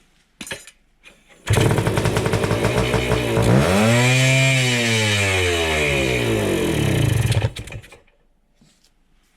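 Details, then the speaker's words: 1971 Kawasaki F7 two-stroke, first start after stator replacement and cable repair, fitted with an expansion chamber and no kill switch; crisp buzz climbs cleanly through a rev, falls back smoothly and cuts off; pulls strongly, runs well. "it runs. That's a pretty good sign. It uh rips. All right. Well, I like that. It sounds good."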